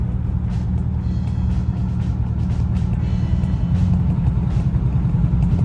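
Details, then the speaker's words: 1969 Ford with 52,000 miles, stored 23 years, on old tires, driven slowly: low road rumble with irregular light slaps about two to three per second; rubber tread separating from the tires. "can't go too fast cuz the rubber will come off the tires I can hear it slapping right"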